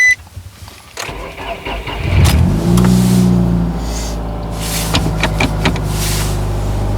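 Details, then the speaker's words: B16-engined Nissan Sentra rallycross car with new race torque mount insert (harder compound), startup NVH test recorded from inside the car: cranks, catches, steady idle with low cabin drone, no clunks; sounds normal. "Not bad. Sounds pretty good from in here."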